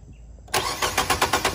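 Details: 2018 Nissan Sentra 1.8, about 35,000 miles, cranking while checking coil signal after no-spark test; steady starter cranking, engine never fires. Crank no start with no spark; ECM coil control suspected.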